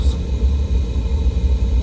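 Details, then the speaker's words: 1958 Triad gas boiler after mercury switch replacement, pilot lit: steady low roar with soft flutter, no pops or surges as burners fire up; normal burner operation. "all right guys and as you can tell you can hear the burners firing up"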